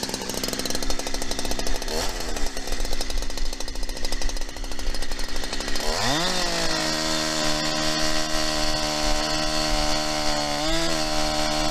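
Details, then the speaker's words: New Holzfforma 372XP chainsaw while cutting: rough labouring drone then flat steady note, never climbing to crisp high rpm, bogging; owner suspects it needs carburettor tuning. "uh sounds like it needs some carburetor tuning i'm sure you could hear it there it just doesn't want to seem like it wants to get into that high rpm"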